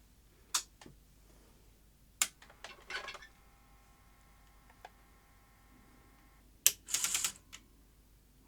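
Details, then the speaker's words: Sony SL-HF600 SuperBeta VCR after reassembling the loading gear one tooth over: scattered clicks and clacks, a short steady motor whine, then more clatter; the tape loading mechanism is out of alignment, supply side keeps jamming. "that sounded a bit old didn't it no that's not right at all no that's definitely out of alignment take it apart again"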